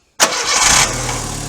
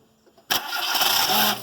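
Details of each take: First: Car starter after being removed and lubricated to fix a growl right after starting: a quick clean crank that catches at once and settles into a steady idle, with no starter growl; the fix worked. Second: Car starter motor gives a harsh growl for about a second right after the engine catches, then steady idle; owner believes it only needs lubrication rather than part replacement.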